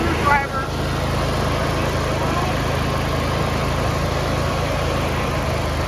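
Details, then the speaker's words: John Deere D170 lawn tractor single-cylinder engine after carburetor replacement and throttle/governor linkage adjustment: low smooth idle with steady note, no surging or hunting; normal idle. "And now you see it's idling relatively quiet whenever you want to go full."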